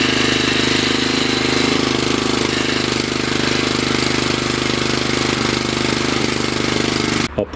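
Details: Wood splitter small single-cylinder engine with fuel pump, after replacing carburetor (Honda part 16100-Z1A-802) that let it start and die: steady, even rapid beat, no stumbling or surging; runs smoothly before load test.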